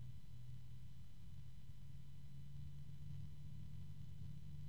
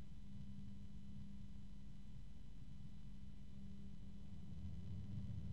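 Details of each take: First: Gelid Stella Infinity 120 PWM ARGB PC fan (max 1600 rpm) spinning up: quiet, steady low hum under soft airflow hiss with faint ticking and high tones, possibly from the bearing; fan hum. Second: Noctua PC fan run for comparison with a Gelid Stella Infinity 120 PWM ARGB fan. Steady airflow rumble and even hum with no bearing ticking, unlike the Stella, though it is noticeably louder; healthy fan.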